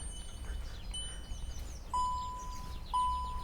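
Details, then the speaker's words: Škoda/VW Group car, instrument cluster gong test run from a KINGBOLEN diagnostic tool: a few higher dings, then clear gong tones about once a second as it plays all the chimes; the cluster chime works normally. "OK. A gong. To by ste mohli počuť. a gonguje všetky gongy."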